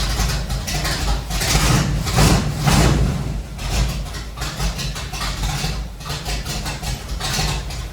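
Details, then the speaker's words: Chevelle being made drivable for the first time in 30+ years, in garage: engine catches, revs briefly, then settles into steady even idle with no knocks or misfires; starts easily. "So I have actually already started it to make sure that it idles, but this thing starts really easy and idles really nice."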